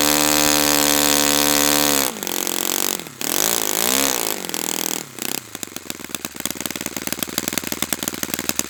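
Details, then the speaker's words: Brand-new Saito FA-100T twin, break-in run, still warm, no priming or choke; steady high drone through a few throttle dips settles into a crisp, even idle patter. Normal running, called spectacular. "So this engine is spectacular, and it's unfortunate that you guys that are watching this video aren't here, because the video just doesn't do it justice"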